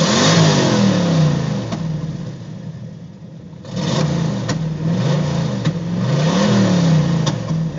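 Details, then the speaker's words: Cammed LT1 V8 misfiring: at wide-open throttle it revs lazily with popping, terrible throttle response, pedal pushing back; fuel pressure 41 psi idle/45 regulator off, steady 16 inHg vacuum, new fuel and air filters, vacuum leaks and exhaust ruled out. "when I punch the gas of the floor it's very slow to respond it doesn't have like a really the throttle response is terrible feels like it's popping"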